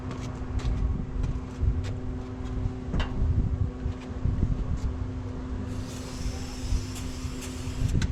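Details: 1968 International 1100C truck with engine from a 1976 Scout II, first start in years on ether: lumpy uneven running with irregular pops and wavering idle; rough, a little smoky from Marvel Mystery Oil, not yet tuned.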